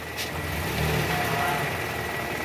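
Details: 2012 Toyota Camry 2.5 V, 2AR-FE, 167,000 km, after replacing worn balancer shaft, engine started with AC on and shifted into R/D: smooth, even petrol note rising with throttle, no diesel-like clatter; noise cured.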